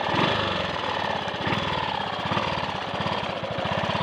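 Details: Triumph Sports Cub single-cylinder under load on a road run after fuel-tank rust clean-out and protruded-electrode plug: crisp regular beat, every stroke firing, no skips or cutting out; slight hesitation at 1/2–3/4 throttle, owner suspects crud on the carb needle.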